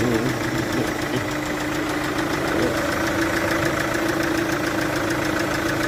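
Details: Chevrolet VCDI diesel at idle: uneven ticking chuff about three times a second over the diesel clatter, typical of cylinder compression leaking past an injector seal.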